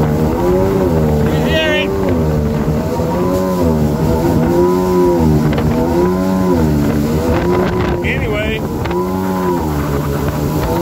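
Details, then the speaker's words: 2000 Yamaha XL800 two-stroke watercraft, freshly rebuilt engine and Mikuni-rebuilt carbs, on water about 27 mph: pitch swings up and down about once a second at 5000 rpm, hunting surge instead of holding speed; idle fine, cause unknown. "i'll go about 27 and i have to let out of the throttle once it hits 5000 it does this surging"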